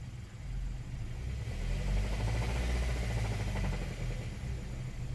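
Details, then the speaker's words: 2013 Hyundai Sonata, 135,000 miles, blown engine after recall, P0014 and P1326 codes: low muffled rumble as it's revved, dull knock coming in and revs cut at about 1800 rpm before it shuts down; rod knock. "it's not going to go above 1800 rpm that is part of the system to to stop it from going over that but as soon as it hits you're getting that knock as soon as it hits that knock it shuts it down and it just stops it"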